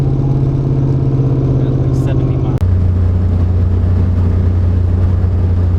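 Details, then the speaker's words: Pontiac Fiero-based Ferrari F40 replica kit car; earlier backfire blew out the resonator, leaving a hole on the driver side of the engine, now sounds bad; loud hollow airy exhaust drone dropping in pitch as revs fall: exhaust leak from blown resonator. "Well, it blew our resonator out. And so, on the whatever, driver side, typically, of the engine, um, we've got a hole. And so, now it sounds like crap."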